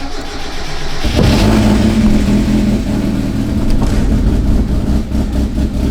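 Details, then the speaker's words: 1992 Mazda Miata NA 1.6L after fitting 725 cc injectors replacing 260 cc units, ECU not yet updated: engine catches into a lumpy uneven idle with wet stumbling burble and heavy smoke; running rich from overfueling. "Oh my God, it's smoking hella. That is bad."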